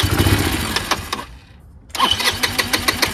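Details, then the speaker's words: Chinese GY6 150cc scooter fitted with a replacement carburetor that didn't quite fit: the starter churns in bursts but the engine never catches. It won't start or idle despite adjusting the mixture and idle screws and rewiring the electric choke, and the carburetor is suspected to be the wrong one. "that was just leftover fuel you know and it still won't start so maybe the carburetor is not the exact one"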